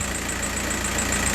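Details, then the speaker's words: Diesel idle, lumpy and uneven with an irregular knock. The injector pin 7 scope signal is sometimes missing while pin 5 is checked. The bad noise comes and goes; rough running, intermittent misfire. "pen five signal and also you can clearly see some bad noise coming from the vehicle. Just hold on. I'm going to show you. This noise sometimes disappear and sometime comes back."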